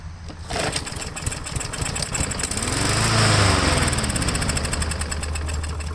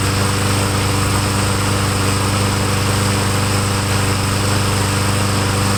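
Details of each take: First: Craftsman lawn mower with stale ethanol gas left too long, choke closed, primed: fires and runs unevenly a few seconds, speed swelling and sagging, only on prime; carburetor suspected. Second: Craftsman lawn mower after carburetor work, air cleaner cover off, primed with two-stroke mix, smoking: steady even drone at constant speed without surging or missing; carburetor now feeding properly, normal running.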